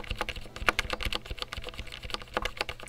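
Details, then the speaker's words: Redragon K596 Vishnu TKL mechanical keyboard: rapid clacky keystrokes with a hollow ticking rattle on the larger keys. The stabilizers are loose and shake, poorly fitted to the plate and poorly lubricated. "it's just it's not it's not a pleasant sound can hear the ticking"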